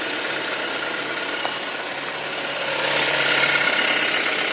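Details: 2007 Audi A4 2.0T idling: hissy idle with light uneven ticking about four per second, worsening daily; strong suction at oil cap/dipstick makes it run rough, RPM sometimes rising, CEL came on once. Engine ticking at idle.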